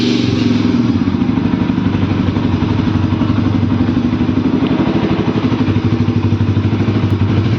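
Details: Bajaj Pulsar RS200 during home servicing, muffler removed, engine run with the open pipe: loud, raw, hard-edged exhaust pulses at a fast steady idle, far harsher than stock; open exhaust with muffler off.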